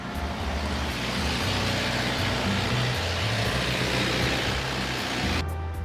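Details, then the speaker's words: Prevost Marathon motorcoach generator after communication-module fault had prevented starting it from inside: steady low diesel drone, even beat, no knocks or rattles; generator running normally. "So I checked it just now. I heard it kick off. So let's take a look in here just to make sure. I can hear it."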